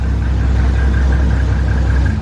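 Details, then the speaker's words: Normal idle on first start of freshly built 1.5JZ engine after priming; deep, relaxed, even beat with good compression, no knocks or ticks, healthier than earlier slow cranking. "Wow it's like I'll be happen yeah it does it sounds like relaxed almost"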